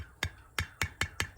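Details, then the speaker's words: Tapping a pressure-canned jar's lid that has a divot and is not pushed down: six quick light tinny taps that sound different from a sealed lid; unsealed canning jar lid. "So you can see there's this little bit of a divot right here in this lid, and it's not pushed down. And it makes a different sound."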